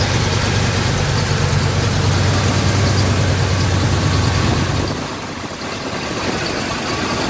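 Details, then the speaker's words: 1986 K5 Blazer V8 with new long block after blown head gasket, first start after oil priming and timing set: deep, even idle, smooth steady beat, no misses or knocks; normal idle. "it started it I have the timing set everything's good to go start it up see how smooth it is"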